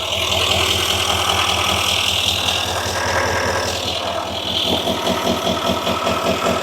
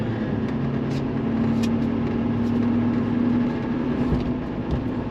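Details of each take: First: 2018 Chevrolet Silverado High Country L5P Duramax diesel, about 105,300 miles, idling with an uneven lumpy beat; sudden misfire on cylinder 4, codes P0204 and P0300, no excessive blowby, wiring or injector suspected. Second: 2018 Chevrolet Silverado High Country L5P Duramax, 105,535 miles, after repair of a cylinder 4 misfire (codes P0204, P0300); smooth engine note pulling away on a test drive, no stumble; running cleanly on all eight cylinders.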